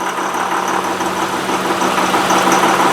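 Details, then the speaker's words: 2005 Honda Pilot idling in reverse: dense, uneven diesel-like clatter about three knocks a second; worse at idle and when slowing, seems fine while driving. "slow down and it's idle here that sounds like a diesel engine"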